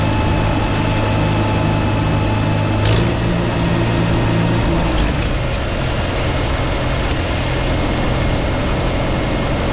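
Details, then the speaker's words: 1952 Farmall Super C tractor idling steady and even with no stumble or miss after a misfire repair that included bending the distributor rotor prong. The owner is unsure whether that or a stuck, rusty mechanical advance was the cause. "I can't say for sure but I'm happy that it's finally fixed and running well so I'm going to start it up and let you guys hear it"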